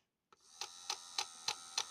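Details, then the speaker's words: Hornby R2624 61xx OO gauge model locomotive, bought as non-runner, running with side rods removed; motor whines steadily with a sharp knock about three times a second, not a quartering issue; cause still unknown. "I still get the same knocking."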